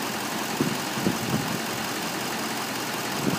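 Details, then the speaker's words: 2011 Chevrolet Silverado 2500HD Duramax diesel, Allison transmission, 4x4, 37K miles, front-end accident damage: steady diesel idle with even clatter and a few soft bumps, no misses or knocks; runs good, transmission shifts fine. Normal idle. "so no issues as I said other than the obvious you know it runs good transmission shifts fine"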